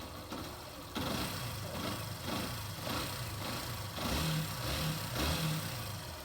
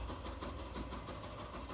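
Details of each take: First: 2018 Yamaha Factor 150 idling quietly and evenly after cam chain replacement, with no loud top-end ticking or chain slap. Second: 2018 Yamaha Factor 150 single-cylinder motorcycle at idle: light loose rattle from the clutch basket (campana) knocking.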